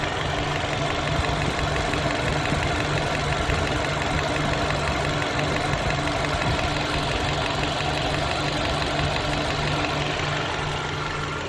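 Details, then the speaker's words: 2019 Mercedes-Benz A220 (A-Class), 2.0 L turbo four-cylinder GDI direct injection, idling with lost contribution from one cylinder after another shop replaced spark plugs and ignition coils; uneven stumbling misfire, no DTC, fault persists. "Ahí se apreciaron cómo está fallando el vehículo."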